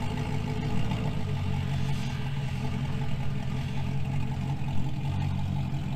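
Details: 2000 GMC Sierra 5.3 V8 with Texas Speed Stage 3 cam (.550/.550, 216/220, 112 LSA), tune restored: starts perfectly, slightly lumpy cam lope, idles in gear without dying; healthy.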